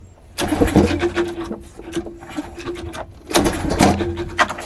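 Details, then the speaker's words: Rebuilt pressure washer small engine with a leaking intake manifold, cranking before starting fluid: two bursts of rapid cranking that never catch; turns over but won't fire, later traced to fuel not reaching the carburetor. "Doesn't seem to want to fire."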